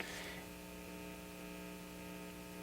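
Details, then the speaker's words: 1950 RCA 9-X-561 tube radio after recapping and resistor replacement: constant low buzzing hum with even overtones, unchanged by the volume control; an added electrolytic had no effect, chassis-related cause suspected, not confirmed. Mains hum. "and it it doesn't really go away when I turn the volume down so here's the turn the volume up that turned down that hum is still there"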